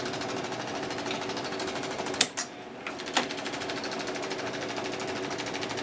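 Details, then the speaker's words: 1961 Seeburg AY100U jukebox, gear mechanism after a few drops of 3-in-1 oil on the dry clutch: fast, even fine ticking with only a couple of isolated clunks, cycling smoothly without the dry clicking; normal running now the clutch works. "Working much better, because the clutch is working. The clutch is the all-important thing in this gear mechanism."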